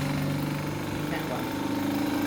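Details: Boat engine alternator, removed over intermittent charging problems, running on a shop test rig which passed all tests; even, steady hum with stable tones and no bearing rumble or whine: healthy.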